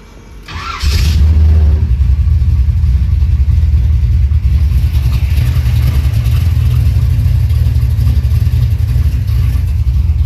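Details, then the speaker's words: Big-block Monte Carlo hot rod, warmed up that morning, started before trailering for an alignment: engine catches and settles into a deep, steady, loping idle with even low pulses, no misfire, like a big old tractor; normal idle. "Sound like a big old tractor, baby."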